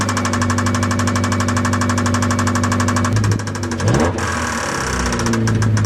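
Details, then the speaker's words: Mazda Miata idle with a brief rev: rapid steady knock deeper than a normal lifter tick but not deep enough for rod knock, following engine speed; owner suspects a stuck lifter, upper engine knock, cause unconfirmed. "It's not like the normal lifter tick. It's a little bit deeper, but it's not nearly deep enough to be like a rod or something."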